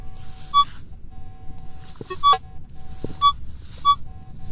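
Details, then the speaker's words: Minelab CTX 3030 on combined, 25 manual sensitivity: steady low threshold hum with short high beeps about every 1.5 seconds, a faint response on a deep target. "I know silver's been. I found one silver here and some other piece of silver, but I know the silver's been found here. I was walking along and I hit that little high tone."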